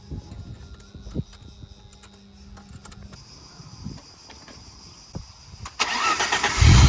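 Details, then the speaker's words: BMW E30 after sitting with a dead battery, now fitted with a new battery: quiet stretch, then the engine catches at once near six seconds and settles into a firm, even run; normal clean start. "Old lady, start right up. We need to change this. We are gonna change it. But other than that, the car starts right up. That's crazy."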